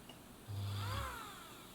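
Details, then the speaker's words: Bernina Record 830 sewing machine motor, running unloaded with no belts attached, speed set by foot controller. Smooth hum and rising whirr, then clean coast-down, no grinding or sparking crackle; healthy motor. "going now because this motors not under load there's no belts attached it's not driving the machine or anything"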